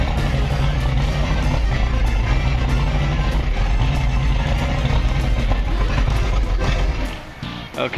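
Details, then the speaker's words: Outboard two-stroke restarted on main tank after running out of fuel, carb bowls emptied: steady low drone then falters and stumbles toward a stall; owner suspects two-stroke oil buildup in carbs from running out of fuel. "I think because we ran out of fuel, there's a buildup of two-stroke oil on the car."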